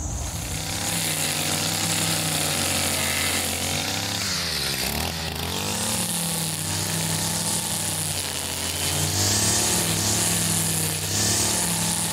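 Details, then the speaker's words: Older Stihl FS55RL two-stroke line trimmer after a tune-up and HIPA primer bulb replacement: a high, buzzy note holds steady, dips once and recovers cleanly. Normal running. "just you know over here running really good"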